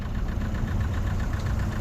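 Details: Vauxhall Vectra Envoy 1.6 8v 75bhp, S-reg, about 80,000 miles, at idle: light quick ticking above the firing pulses, from the cam or a follower, blamed on many short journeys rather than overall wear; otherwise runs sweet.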